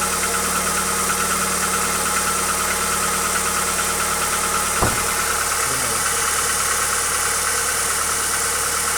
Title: Стук двигателя хюндай акцент ч1